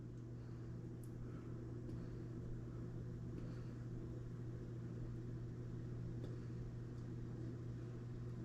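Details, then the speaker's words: GE stove with F96 error after repair, bake set to 375°F: steady low motor hum of convection blower, constant pitch, no knocks or scraping; blower running normally and oven reached 375°F. "I hear the fan kick on. I hear the blower motor kick on."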